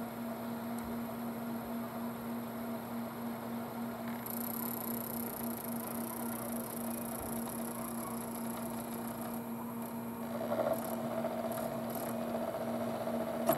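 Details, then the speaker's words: Sony PlayStation after disassembling, cleaning and regreasing its formerly noisy laser optical pickup, loading a game: soft steady hum with a brief seek whirr as the laser travels; now quiet and smooth. "it's really quiet guys you can hardly hear it the only time you can really Airy is when the laser means of distance there"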